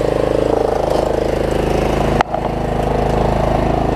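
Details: Troy-Bilt Pony riding mower, unidentified small engine (possibly Loncin), after a loose starter-solenoid connection was fixed and a good battery fitted: putters at an even, steady idle with a regular firing beat and no stumbling; healthy.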